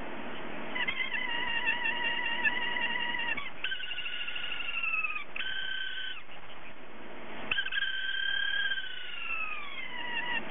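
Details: Hard drive whose spindle motor bearing has gone bad so it can't spin up properly; repeated high sliding squeals rising and falling like a cat's meow, spindle bearing failure.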